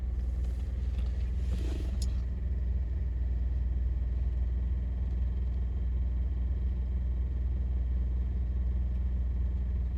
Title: 2017 honda accord sport rattle noise while idling, at a redlight and gear on "D"